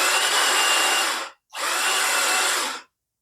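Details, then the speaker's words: Ryuka motorcycle, roughly 200cc, after 20 minutes charging the battery at 5 A: two short high whirring bursts with no cranking thump; starter spins free, still slipping, one-way starter clutch suspected before opening the cover. "อ่ารูดเหมือนเดิมนะครับถ้ารูดเหมือนเดิมเราก็ต้องเปิดตรงนี้นะครับ"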